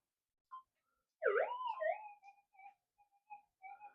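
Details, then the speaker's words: Warbling rising and falling tones over a quiet threshold on a Minelab GPX-6000 with a modified figure-8 coil; ferrite in the coil gives hot-rock false signals that ground balance cannot cancel. "got too much ferite and everything sitting in the co hang on"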